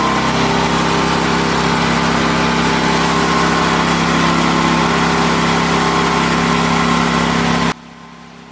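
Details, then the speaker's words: Powerhorse 9000ES generator after fitting a new AVR: steady, even hum with no misses or knocks, quietening near the end; 120 V at all outlets, normal running after repair. "as you can see i'm getting 120 out of all the outlets the throttle control even started working when i click it on right here"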